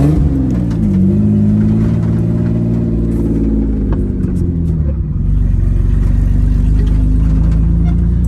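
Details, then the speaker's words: Ford Bronco II after battery terminal fix and new distributor, cap, rotor and ignition module: revs climb, then sag and stumble; cutting out under acceleration, owner suspects fuel pressure regulator. "right now I think it's drivable other than the hand and idle, and it cuts out here and there, so those are probably simple little problems."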